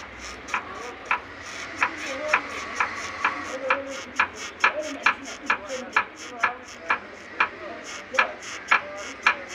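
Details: Repeating sharp squeaky clicks about twice a second with no engine sound, a rubbing creak from the suspension; suspected cause is a worn silent block bushing, not confirmed.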